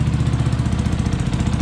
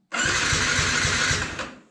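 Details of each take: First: Yamaha MT 125 single after a fatal crash, first run after priming and reconnecting two wires, no cooling system fitted: steady, even low thumping with quick regular beat, no misses or knocks; runs cleanly at idle. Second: Yamaha MT 125 after crash, spark restored and plug refitted: steady rapid starter chugging, about four beats a second in two bursts, never firing; crank no-start until fuel was primed, then it ran.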